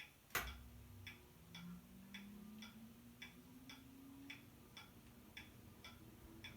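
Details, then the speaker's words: Very old ceiling fan of unknown make in a new home: light, even clicks about twice a second over a faint motor hum; one bent blade makes the fan wobble and click. "of course you noticed there's the wiggle to the fan because one of the blades is kind of bent out of shape just makes this annoying clicking"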